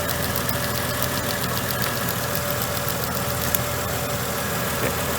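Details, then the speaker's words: Mercedes petrol engine idling: quick light ticking on top of idle, the normal sound of the purge valve solenoid cycling. "so we're gonna stir it up and you should hear that ticking on your car it's more than likely up here on the front fender somewhere"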